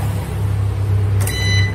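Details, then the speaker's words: UPS on-battery alarm after mains power is unplugged to simulate an outage: steady low hum, a click, then a high beep. "akan terdengar suara BIP ya gini tip Hai Pyar Nah itu itu menandakan emergency kondisi PLN mati ya nanti ini baterainya Hai semakin berkurang bunyi beep nya makin cepet"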